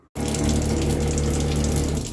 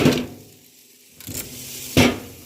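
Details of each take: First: Standard faucet with running water and a steady low buzzing shudder in the pipework from the cold side; the failed O-ring in a worn Zurn cartridge causes water hammer, to be fixed by replacing the cartridge. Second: Faucet after Zurn cartridge replacement for cold-side water hammer: water runs in steady spells with handle clicks between, no rattle or shudder in the flow, and no hot-cold cross mixing; faucet working normally.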